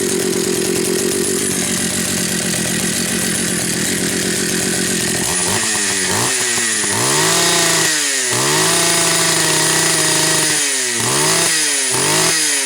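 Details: Pioneer Farmsaw II chainsaw with chain brake internals stripped out and cover removed: busy rattling idle, then repeated clean revs up and back, pulling smoothly with no miss or bog; normal running.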